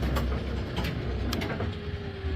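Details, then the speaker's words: Brunswick GSX pinsetter switched on with pins out and an impact gun found: low motor rumble with strained steady tone and a few clunks as the elevator tries to drive; binding somewhere, T-band belt riding into the studs suspected, unconfirmed. "We have a bind somewhere. Um, it tried to drive, right?"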